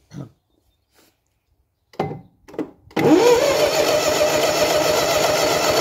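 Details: Gardner 4LW diesel after cracked-head repair, fuel system primed and bled: a few short cranking tries, then it catches and settles into a smooth, steady run with no knocks or misses; healthy.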